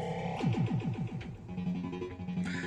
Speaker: all the sounds are now working perfectly